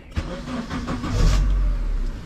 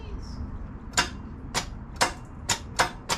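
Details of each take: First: Turbo Honda Element K-series with new intake manifold and Walbro 450 fuel pump, first start after install: brief crank, then engine catches and holds a steady even idle around 1000 rpm with no IAC, no misses or knocks. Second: Turbo K-series Honda Element with new intake manifold and billet throttle body, first start: cranks in uneven bursts, catches, then idles with steady hiss from an open vacuum port; no idle air control valve fitted, check engine light on; intake vacuum leak.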